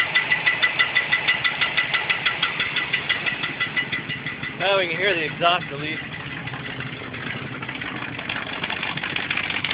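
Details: 1969 Mustang coupe with an automatic transmission, first start after the engine install: fast, sharp ticking knock, about three per second, at idle with a brief ringing chirp. Source unidentified.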